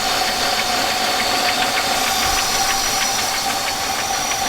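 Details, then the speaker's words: Petrol engine, likely the 1999 Buick Century, idles unevenly with an irregular tapping pulse over a steady hiss and a loud fuel pump, not smoking. Two vacuum leaks were fixed but it still surges. Owner suspects misfire and failed intake seals; diagnosis continues. "not running real happy. See if it's smoking. Not smoking, but I think it is misfiring."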